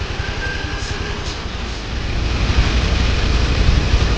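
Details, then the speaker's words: Honda Beat injection scooter after fuel pump replacement for hard starting and weak pull: low, even thrum about four pulses a second building cleanly under throttle without stumbling; runs smoothly. "mantap suaranya halus I halus sekarang"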